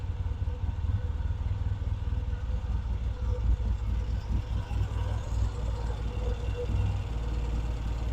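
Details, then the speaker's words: Vintage British motorcycle rebuilt from boxes, just started with the pilot circuit now working properly: deep, steady thumping idle with an even beat, no rattles or stumbles; normal idle. "you know that's the difference in the easy of ease of starting when the pilot circuit was working properly"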